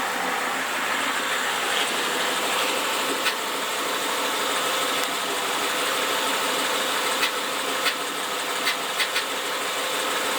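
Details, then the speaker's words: 2011 Mustang GT 5.0 V8 automatic with Steeda cold air intake, SCT tune, 4.10 gears and Roush mufflers idles with a steady hum and a light, fairly quick ticking, present since day one, cause unexplained. "Okay, this is a video of the infamous ticking sound. I have it in my car and it's kind of unexplained at the moment."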